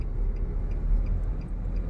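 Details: Car with a new clutch and cover assembly (the old clutch had worn-out splines; the customer reported stalling over speed breakers) pulling uphill over a bridge in third gear at about 20 km/h: deep, even engine drone with no surging or stalling. Normal clutch engagement.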